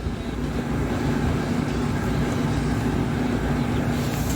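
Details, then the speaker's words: 1982 Suzuki GS450 motorcycle at first start after months of work; carbs out of sync and apparently air leaking around the intake boots; fast, steady drone instead of a slow lope; high idle, idle screw suspected. "So I just gotta figure out what the heck is up with the super high idle, you know? It's probably just the screw right here."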